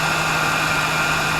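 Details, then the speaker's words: 2004 Dodge Dakota 4.7L V8 after engine flush additive and about 20 restarts, started after sitting an hour: steady, even idle, lifter ticking completely gone. "and you can hear that the um ticking um of the lifter has uh completely"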